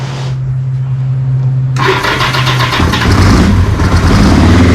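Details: 1981 Kawasaki KZ750 LTD inline-four at idle, warming up after a manual cam chain tensioner replaced the OEM automatic one, float heights leveled and new intake boots fitted: starter whir, then even idle with no top-end tapping; normal idle.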